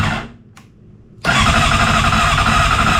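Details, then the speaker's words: 2007 Honda CBR600RR after an oil, filter and air filter service, fresh battery and electrical work, with headlight wiring unplugged: extended cranking, then it catches abruptly and settles into a busy idle; slow to fire. "Let's give it a little bump. Ooh. Nothing so far. Ooh, it's trying."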